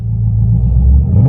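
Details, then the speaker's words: 2002 Camaro SS with newly installed 3.73 rear gears, quiet after break-in, during a 0-60 run: a heavy low drivetrain rumble building with a faint rising drone. The owner suspects insufficient carrier bearing preload letting the carrier move. "So, I think what happened is I didn't have enough uh carrier bearing preload. So, the carrier is moving and that's what's causing that noise."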